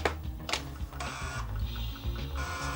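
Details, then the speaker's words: Amiga 500 internal 3.5" DD floppy drive loading Rainbow Islands: motor whir with bursts of clicking and seek chatter that keep retrying, then it drops back to Workbench. Drive was stored and well used, and the disk won't eject fully. Owner suspects dirty heads. "loading it trying to load okay it just goes back into workbench and um so i don't know if the heads are just dirty which is possible"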